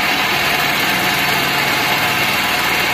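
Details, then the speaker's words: Gran Max minibus, K3DE 1.3 petrol engine, noisy and lacking power, runs rough in the mornings: idle with steady airy hiss from the front over the engine note; cause not yet known, possibly external or internal. "Kalau pagi mesinnya pincang. Ada suara bisik kalau di depan."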